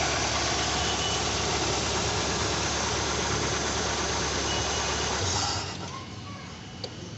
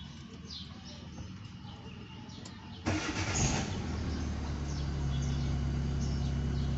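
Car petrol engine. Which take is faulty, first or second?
first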